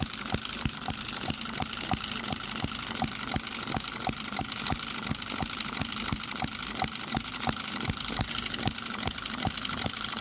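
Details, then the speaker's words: M96 "Oddball" 2cc hit-and-miss model engine, out of the box, after the ignition sparking position was moved: crisp, regular ticking at about three beats a second with a longer miss cycle; the engine fires happier and cleanly. Normal hit-and-miss running. "Right away, that's got a longer mist cycle. That is a happier engine firing there."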